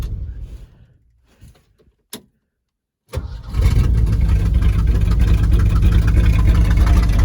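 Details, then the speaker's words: 1971 Ford Highboy boom truck restarted in below-zero cold after a full heat cycle: short silence, the engine cranks briefly, catches at once and settles into a strong, even idle; a healthy warm start. "well I let it get a good heat cycle in it before I shut it off there you go yet another Testament to how tough these old Ford High boys are this old thing has never let me down she always fires up and here's a prime example of it"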